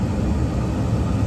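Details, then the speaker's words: York rooftop unit after replacing draft inducer and ignition control board, gas on: even low burner roar over inducer hum, no rumble or flutter, normal ignition. "our gas is on so we have a steady flash here which is good we should have a spark here in a couple minutes"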